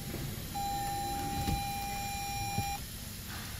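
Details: 2018 Toyota Prius that will not start and shows no gears, with one steady high beep of about two seconds in a quiet cabin: lost communication with the hybrid ECM. It starts intermittently after moving a wire near a box up front.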